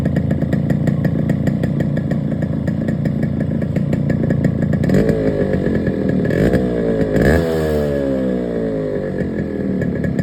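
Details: Yamaha RX135 4-speed two-stroke motorcycle: idle with fast sharp metallic clatter, then a few quick revs; piston knocking suspected, not confirmed.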